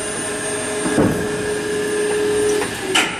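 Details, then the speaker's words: Tipton EFF-205-FA centrifugal finishing system (1995, 1044 hours, 7 HP variable frequency drive), run up and back down: smooth motor hum and chain whir, soft clunks at travel ends, no rattle, backlash set well; normal chain drive. "I'll run it up a little bit here chain-drive sounds pretty good backlash it's all set pretty good"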